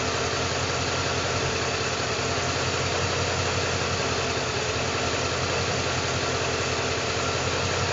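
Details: 2012 Ford Mustang with 3,500 miles idling rough: loose, uneven patter about three beats a second over steady hum; cause unknown.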